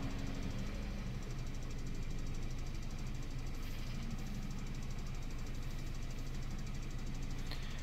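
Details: Mini with Prince engine, 153,000 miles, clutch gone: steady idle with a light, uneven tapping over it, about four taps a second; fault codes for DME/Vanos camshaft timing, and the owner suspects a snapped timing chain guide.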